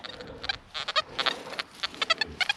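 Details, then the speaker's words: XP Deus metal detector, audio response raised to 5, on a wet field with a high water table and little iron: irregular high-pitched chirps and blips, several a second, with no clean target tone; ground feedback chatter. "And you can hear a little bit better now what we're trying to deal with. Now I wouldn't say there's a great deal of iron in this field, it's more a ground problem."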